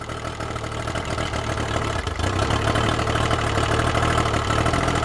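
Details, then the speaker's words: Yamaha outboard running on a water supply, warmed up, after an earlier stall the owner blamed on leftover fogging oil. Steady, even idle with a smooth low burble and no knocks or misses; "just purrs", normal idle. "I'll let it run for a bit more and then we'll shut her off oh man it just purrs that Idol runs really well"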